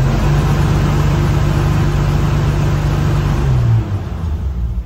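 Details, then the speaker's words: Dodge M37 vintage off-road wrecker with an upgraded engine and a newly fitted MSD rev limiter set at 3,000 rpm, peaking around 2,911: the engine climbs and holds a flat steady note with no popping or banging. The limiter is working. "it's not popping not banging so it's definitely working I'll be able to fine-tune my maximum rpm using those chips but for right now I'm going to keep it at the safe level of 3,000 RPM"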